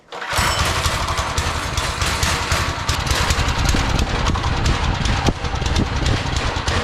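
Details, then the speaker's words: Single-cylinder go-kart engine started before fitting a stage 1 performance kit. It smokes and runs loud and uneven, stumbling and galloping. The owner thinks the knock-like sound is the chain, with one messed-up spot: rough idle. "Just saw the smoke that I was talking about, and this thing is running bad. It might sound like it's knocking to you guys, but I think that's the chain."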